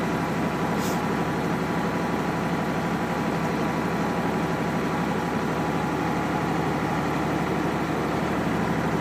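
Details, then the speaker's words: Diesel truck held at about 1500 rpm during an air brake test, building air pressure back to the 120 psi cutout: a steady, even drone with no knocks or misses, sounding normal. "rpms up about 1500 and let it just build back up this may take a minute just build it all the way back up to 120."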